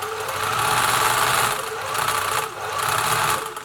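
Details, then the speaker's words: Singer 700 series sewing machine, freshly oiled, run fast: fast whirring with a light, busy rattle that swells with speed; owner suspects slack motor belt tension, similar to a serviced 766 whose motor mounts were at fault. "not exactly sure where that Rachel's coming from but I suspect that maybe their motor belt so let's get in and have we look at this motor yet whether that noise is caused by the belt tension"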